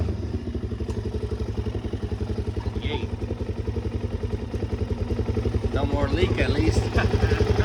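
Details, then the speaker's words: Suzuki DRZ400SM started after PAIR valve and petcock replacement: single-cylinder thump idling steady and even with no knock or miss, some rustling near the end, healthy running. "We'll start it up. Looks like it's doing good."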